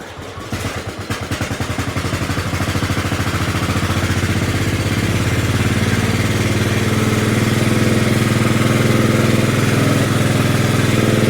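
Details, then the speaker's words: Kohler 16.5 single-cylinder engine in an LT1000 project mower, started on choke: thumps build, then it runs steadily but somewhat ragged and only keeps going on choke; owner plans to clean or replace the carburetor. "So it only runs on choke, so I'm definitely probably gonna have to either clean the carburetor or buy a new one."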